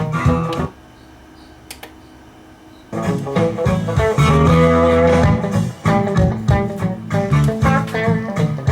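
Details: NAD T-762 receiver after repair for sound cutting out when warm: clean, steady music with guitar and bass, no dropouts or crackle; working normally.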